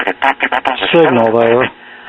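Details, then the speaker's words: Circa-1938 RCA Victor model 94BT1 battery tombstone radio (1.5 V and 90 V) on a strong local station at 1010; harsh buzzy sound even at minimum volume — distortion, overload suspected, cause unconfirmed. "okay that's on 10 10 and even with the volume all the way down i can tell the distorted overloaded"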